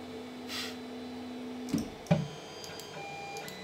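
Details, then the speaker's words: Creality CR-10 3D printer after Noctua hotend fan and stepper vibration dampeners on X/Y: X and Y moves nearly inaudible, but undamped Z-axis stepper gives steady low hum and clicks, plus control box and part cooling fans. "all you can hear now is the c-axis nothing else and of course the fans from the control box and this part cooling fan those he can hear"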